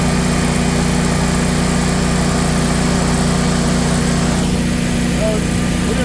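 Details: Generac 24 kW natural-gas standby generator, first start after installation in manual mode: steady, unbroken low engine drone with an even beat and no misses or knocks; normal running.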